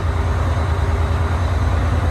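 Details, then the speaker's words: Bus diesel with 50DN alternator, battery voltage swinging between about 13.2 and 14 V: deep steady rumble with slight uneven swelling as the engine cycles under alternator load; load surging from voltage regulator oscillation, prior owner already replaced alternator and several regulators. "You can hear the engine cycling while this is happening, as it's trying to rip the gear off the front of the alternator."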